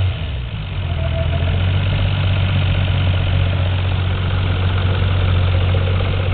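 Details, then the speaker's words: Toyota Supra 7M engine, mic held very close: steady, even, smooth idle with no knock, the healthy comparison to a similarly modified 7M that has a rod knock. "guys can all hear mean it's curring nice idle was off real smooth real smooth too"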